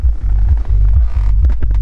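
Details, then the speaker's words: Car hi-fi with the fader set to the driver's side, camera close to the driver's door speaker: only a low throbbing hum and no music, while the passenger side works and the wiring seems fine; dead door speaker from a faulty crossover. "Viszont ha lehúzom a slidert, tehát most a vezető oldalnak kéne szólnia. És ha közelebb rakom a kamerát, nem szól"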